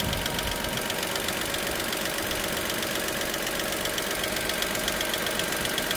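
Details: Dacia Sandero SCe 75: quick, even ticking, a bit over once a second, on top of a steady idle; light top-end tick, source not yet clear, cause suspected but unconfirmed.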